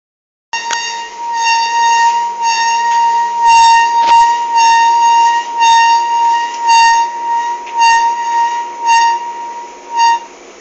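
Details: Indesit IDV 65 tumble dryer, otherwise working fine: a loud, shrill squeak pulses about once a second as the drum turns.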